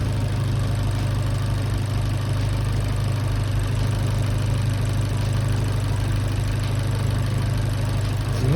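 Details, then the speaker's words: Abarth Fiat 500 after replacing a year-old MEYLE aftermarket drive belt, which had made a rubbing noise, with a genuine 5PK1175 belt: steady, even, quiet idle with no squeal or chirp; normal. "then start the engine and check. It's smooth, it's quiet at"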